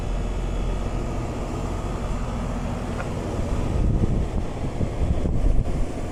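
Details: Newly installed residential AC condenser running after startup, settling before refrigerant charge check: steady low whooshing rumble from fan and compressor, even and unbroken with some wind noise; running normally.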